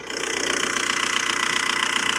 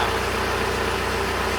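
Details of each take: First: $1500 1.9L TDI VW Jetta, manual, with an old timing belt (about 15 years) and oil of unknown age: fast, even clatter at idle over a harsh, hissy top end; noisy diesel, cause unclear. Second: $1500 1.9L TDI Jetta manual diesel idling after an oil change, with no leaks found: steady idle with an even, hard-edged clicketty-clack over a low rumble, likened to a 1960s tractor: normal diesel idle clatter.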